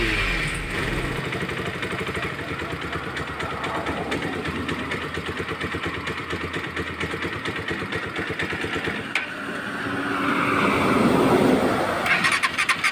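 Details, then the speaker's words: Euro Daang Hari 186 motorcycle, member-sent clip: engine catches and idles unevenly, pulses wandering and stumbling, then revs up near the end; hard starting and misfiring (palyado), cause not confirmed. "Regarding sa isang ating member na 186 hard starting Soo ko sa inyo yung paan kung paano mock yung motor na ito so hard starting po siya"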